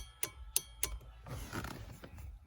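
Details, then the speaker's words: 5th-gen Toyota 4Runner rear fog and reverse light wiring: the relay clicks cleanly on and off as the factory fog light switch is operated, so the circuit works. "so turn the switch on you can hear the relay clicking on and off"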